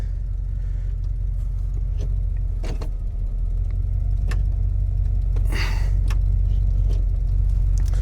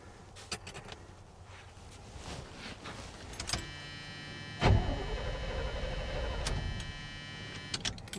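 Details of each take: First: 1978/79 Chevy K20 4WD with a V8 and automatic, sat about 15 years, running on old gas and a bit cold-blooded. A steady low V8 idle rumble holds even, with a few clicks and clatters around it. Normal idle, no stumble. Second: 1978/79 Chevy K20 4WD with a V8 and automatic, sat about 15 years. Keys rattle, then the starter cranks the engine for about three seconds without firing, because the distributor wire is disconnected so the key can't start it. Crank, no start.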